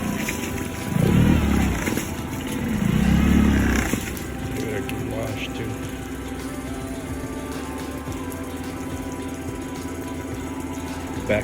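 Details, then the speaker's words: Suzuki 9.9 hp outboard idling smoothly with a steady, even hum and no missed beats after misfire fixed: Techron Marine stabilizer had fouled the spark plugs with gunk; now clean fresh fuel and clean spark plugs. "Finally running smooth. All clean fuel, clean spark plugs."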